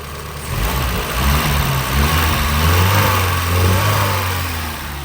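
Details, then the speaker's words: Porsche 924 first start after over 10 years parked, nearly at operating temperature: uneven lumpy stumbling running that clears as it runs; suspected old fuel, not confirmed. "right the longer it runs it seems to clear up so we may just need to have it run fresh fuel through it for a little bit"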